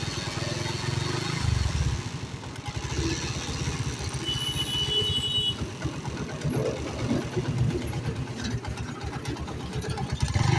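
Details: Honda CD70 small motorcycle engine idling with a rough uneven beat and irregular tapping over it; something is off, cause not clear, abnormal engine noise.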